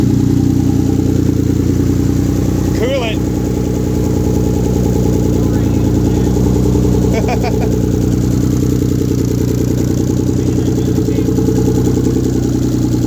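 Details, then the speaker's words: 1997 VR4 first start-up after engine rebuild, idling with downpipe missing (still needs welding): steady, loud, raspy, unmuffled low drone from open exhaust. "no downpipe, that's why it sounds like butt. Exhaust. Downpipe still needs welded."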